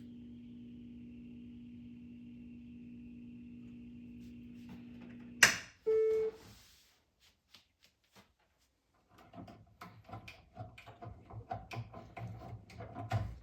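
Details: Space Duel arcade game restoration; a steady hum with a thin high whistle for several seconds, then a click and quiet; supply reads 4.5 V, too low, and a power supply fault is suspected but unconfirmed.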